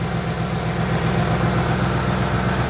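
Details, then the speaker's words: 2006 Ford Expedition 5.4L V8 first start after timing chain, spark plugs, camshaft and broken lifter replacement: smooth, even idle with regular low pulse, no ticking, knocking or rattle or creaking; oil pressure good. "Sounds good. So listening, the exhaust is very fucked up. Really was fucked up. Okay, no more creaking noise."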